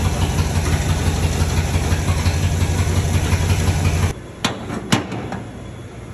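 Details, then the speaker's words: 1961 Dodge Power Wagon, tired Poly 318 V8, cranked with gas bottle feeding carb, old coil: uneven lumpy rumble for about four seconds then dies; plugs suggest only the third cylinder back firing on one bank, others wet or black; several dead cylinders. "I think only this cylinder, which was the third one back, was the only one that was running on this side. This one's got a nice burnt color to it. This one's wet and this one's just black, doesn't look like it did anything."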